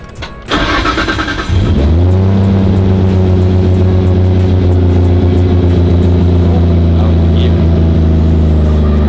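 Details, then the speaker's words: DAI33 Skyline GT-R SEMA build with GReddy 2.8L stroker crate engine, GP64R turbo kit, OS Giken sequential gearbox and Haltech electronics: quick crank, clean catch, brief flare, then smooth steady crisp idle; healthy start. "sounds really crispy"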